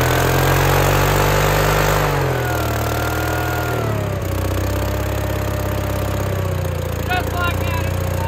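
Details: Case 1816C skid steer sitting 10+ years, new starter fitted, first run: engine revs high, then drops to a steady, even idle with no misses or knocks; runs normally, though it later struggled to move, owner suspects starving.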